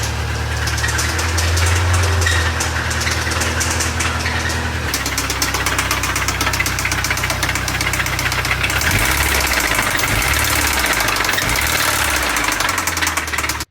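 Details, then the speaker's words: 2004 Subaru 2.5 TS engine, jump-started: rough cold idle with a loose, irregular clatter about four times a second. Comprehensively blown engine internally, to be replaced with a junkyard engine. "so yeah that is the familiar sound of a comprehensively blown up Subaru engine"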